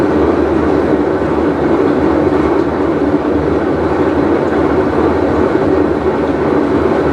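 Deep, steady roar with a gritty edge that holds even as the drum turns, the classic sound of a worn tub bearing.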